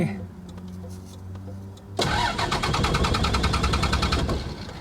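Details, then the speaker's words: Cummins-swapped Ford Explorer 4x4 diesel on a first drive, hot day: engine died, then the starter cranks at a steady quick chug without firing; owner suspects fuel starvation when parked on an angle, possibly air in the fuel system. "It just died. I think every time I go on an angle, it's losing fuel. So yeah, it doesn't want to start."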